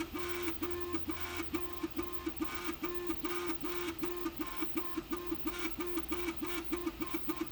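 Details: Prusa MK3S+ 3D printer: rhythmic buzzing motor tones pulse two to three times a second with a clattering edge, louder than a printer should run; cause unknown.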